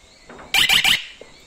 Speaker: Donc après à peu près 1 minute 30, on vient d'entendre les 3 bips et cette fois-ci, la diode rouge il va clignoter ici et on est passé en mode surveillance.